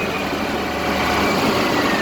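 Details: 2003 Scania 380 hp truck diesel idling after an engine oil additive treatment. It ticks over at a steady, even idle with no knocks or misses and sounds noticeably quieter and cleaner than before.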